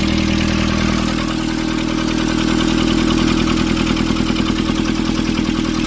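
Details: Nissan Urvan ZD30 diesel, after a no-start repair in which a soot-clogged part was cleaned and refitted: steady, even idle with a regular clatter of about 200 beats a minute, no misses; sounds healthy.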